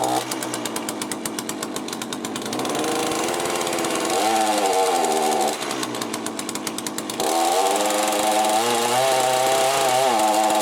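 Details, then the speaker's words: Cheap chainsaw with a Walbro carburettor, just rebuilt, warming up with high and low screws still unadjusted. It buzzes high, then revs sag and surge in waves; owner thinks it runs quite lean. "i'm gonna let it warm up a bit then come back at the moment it seems like it's running quite lean"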